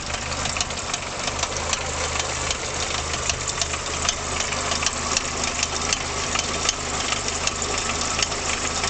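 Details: VW Golf Mk2 1.3 carburetted engine idling with a sharp, fairly irregular tapping knock over a steady hum; knock present, cause not identified.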